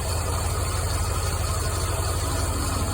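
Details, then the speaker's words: C5 Corvette V8 at idle with poor idle quality; an uneven stumble with an irregular sputter each time a spark plug wire arcs to the header tube; two wires were arcing, giving misfires on multiple cylinders. "Spark plug wire arcing against the header. Yep, every time it does, there's a sputter."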